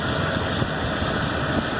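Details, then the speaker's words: Chevrolet 2500 HD 6.0 V8 after rocker arm replacement for suspected lifter tap, sat two to three months: smooth, steady idle, low even drone, no ticking or tapping from the top end; normal idle. "cleanly you can hear it but there's no chaplain whatsoever I ran it with the cover off for a little bit it ran perfect"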